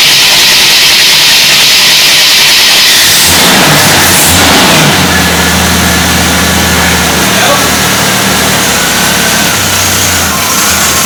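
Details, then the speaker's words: Full-size Jeep carbureted engine, first start, fuel pump possibly pulling from tank, electric choke possibly not working: catches under loud hissing then runs unevenly, revs sagging as if about to die; needle and seat found stuck. "Didn't go so well, but it was running, and I think it was pulling from the tank, and you know, it does have an electric choke."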